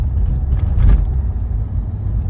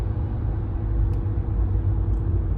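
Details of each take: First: 2015 Renault Megane 3 1.5 dCi diesel on the move after replacing the stiff fuel return hose with a softer one: low even rumble with no droning hum while accelerating, coasting or braking; hum fixed. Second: 2015 Renault Megane 3 1.5 dCi diesel, on the road coasting off throttle: steady low hum droning under road rumble; fuel returning through the stiff original fuel return hose causes it, fixed by a softer hose.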